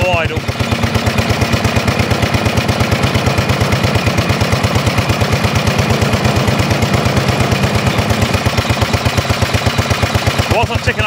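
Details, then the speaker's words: 1930s Dennis Z Type 30in lawn mower, single-cylinder, barn-stored for years, after points and carburetor clean: starts on choke, choke fully off while warming up, loud sharp gunfire-like cracks at a steady fast beat straight out of the port, no exhaust fitted. "then there she goes total choke off and now girl warm up wow what a noise that's a serious"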